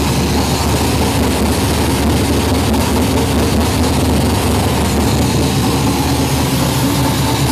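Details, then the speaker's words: Arce Engines Lucas Oil Modified race car engine with newly installed FIRA FAST EFI fuel injection, primed and started after sitting a few days: loud, choppy, lumpy cammed idle, steady and even. Normal running. "once we've primed the engine what that does is that allows this switch to uh to operate the fuel pump so we're going to go ahead and turn it on and fire it up for a minute here we go"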